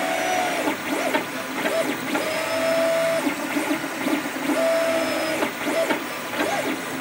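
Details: Creatr HS 3D printer making strange noises while printing: stepper motors whir up and down with short squeaky chirps between moves, no clear cause; print bed also not level; abnormal noise during printing.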